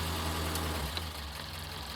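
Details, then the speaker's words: Restored Morris Minor 1000 convertible with rebuilt engine, new pistons and rings, choke being eased off: even, steady low idle with smooth beat and no misses; sounds healthy. "Here we go. Sounds just like your Mogy should. Really, really does. Settles down to a lovely idle."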